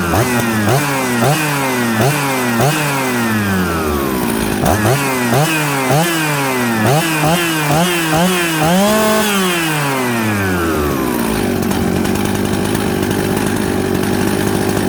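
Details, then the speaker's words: Warm Husqvarna 266/Jonsered 630 Super mixmaster chainsaw after opening high jet slightly: clean rev-ups and drops, steady even idle, no stumble; good running saw. "i went back to the high jet and open it up just that little turn this is a good running saw"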